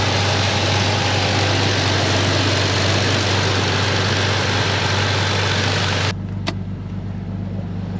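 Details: Flood-damaged Dodge Dakota 4x4 convertible after rescue, with a weak fuel pump and leaky exhaust: steady, even low hum with no knocks or misses; idle holds smoothly, engine sounds healthy.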